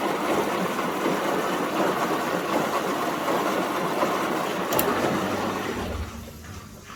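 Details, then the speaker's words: Front-loader washing machine running with its back and top covers off on its final rinse, softener siphoning into the drum: even swishing water, gentle drum tumbling, low motor hum and clicking, tapering off before the spin; normal rinse. "um think it's causes a siphoning effect for the softener to drain into the drum for its final lch you can hear the clicking"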